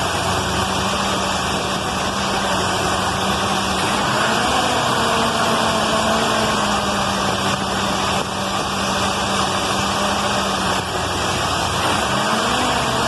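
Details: Carbureted points-ignition car after the dwell was reduced from 40 to 30 (spec 26–33) and the idle lowered; the idle pitch wanders, dipping around 4 and 12 seconds, and keeps stalling. Owner suspects the carburetor or the points, unconfirmed.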